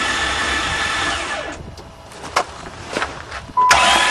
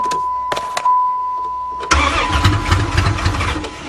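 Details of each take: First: Van engine hydrolocked after being driven into a lake, spark plugs out and intake manifold off: fast even starter whir with no compression pulses and splashing hiss as water is blown out; starter motor works. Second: Van previously hydrolocked from water, intake manifold removed to drain water, first start attempt: warning chime, brief starter whir, engine catches right away and settles to an even steady idle; normal start.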